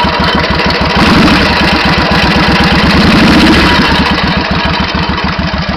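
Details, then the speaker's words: 1991 Suzuki VS1400 Intruder V-twin, true mileage unknown (engine supposedly ~24,000 km); sharp metallic hammer-like tapping about four a second over lumpy idle, quickening with revs, clearer on the other side; engine knock, cause unknown. "Alors c'est un peu moins flagrant sur ce côté-ci, mais de l'autre côté on entend très bien une espèce de bruit métallique, comme si on tapait au marteau, et au fur et à mesure de la montée en régime, le bruit accélère."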